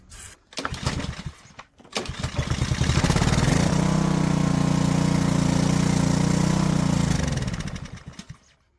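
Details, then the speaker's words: Honda-powered Homelite pressure washer, found junked, good spark, started on starting fluid: catches, runs rough about four seconds, then dies and won't stay running; owner suspects the carburetor. "so it's not one to stay running. Guessing something in the carburetor."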